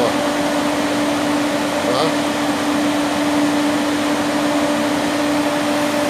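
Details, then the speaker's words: 2008 Peugeot 206 1.4 8V Flex radiator cooling fan commanded to second (high) speed by scanner; the first speed was not engaging. Loud steady air rush over a firm constant hum, no wobble or rubbing; high speed normal. "e olha a velocidade Olha a força agora tá essa é o segundo"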